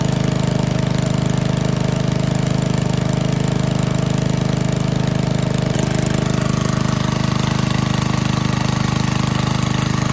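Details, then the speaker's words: 1951 Briggs & Stratton 6B-SF 1.75 HP single-cylinder gasoline engine, cold start at about 30°F on choke, after relocating governor spring one hole: steady even putter at settled low speed, no misses or knocks; owner estimates at least 500 rpm slower, normal. "well that governor adjustment definitely did the trick didn't it it really slowed the rpms down so just by moving the governor spring from this hole to this hole we dropped at least 500 rpms"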